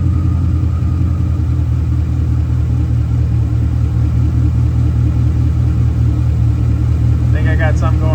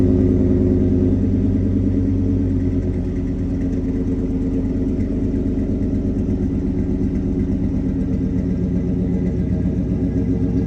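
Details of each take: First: In this video I get the lt1 swapped Mazda running and moved onto a lift to finish the exhaust and I find out I have a misfire caused by a stuck injector. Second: LT1 V8-swapped Mazda B4000 at first start with a temporary exhaust slipped over the tailpipe, no muffler box yet: deep, loud, even burble at idle and on throttle taps, smooth firing with no misfire stumble: normal idle and revs.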